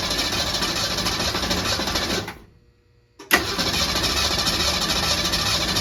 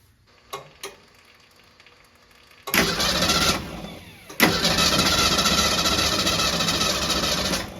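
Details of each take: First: 1966 Ford Mustang after years stored in a barn, gas splashed into carburetor: fast even cranking that stumbles, stops, cranks again, never catches; crank no-start, no spark suspected. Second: 1966 Ford Mustang after years sitting in a barn, transmission fluid in the spark plug holes, no start attempted: starter spins the engine over freely at an even, steady rhythm for several seconds, no binding or clunks; cranking healthy.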